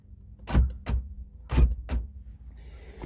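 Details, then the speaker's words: 1998–2001 Jeep Cherokee XJ after installing new passenger-side door lock/window switch module: two pairs of crisp solid thunks about a second apart, no grinding or hesitation; normal power door lock operation after repair. "All right, it's all installed. Let's see. You can hear it working."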